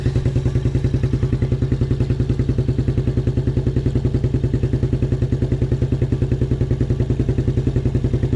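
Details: 1987 Suzuki Quadrunner LT230E ATV single-cylinder, started with hand over intake as choke since choke cable frozen; steady even thump about three and a half beats per second, no misses or surging; healthy idle.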